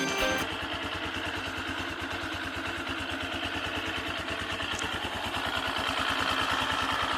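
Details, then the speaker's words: AKT TTR 200 motorcycle at idle, noise first heard before its second service: steady rhythmic clatter about three beats a second that stops when the clutch lever is pulled and returns on release, worse when cold; undiagnosed. "empecé a escuchar un ruidito y me di cuenta que ese ruido se quitaba cuando uno oprimía el embrague con un oprime el embrague cuando no primera el embrague el ruido se iba"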